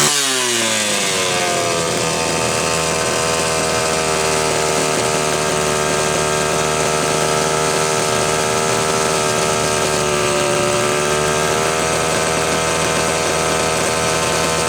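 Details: Homelite Super XL chainsaw, test run after cleaning, points filed and gapped, starter and fuel cap valve serviced: sharp high-revving buzz that climbs cleanly and holds a steady pitch without stumbling; saw runs properly.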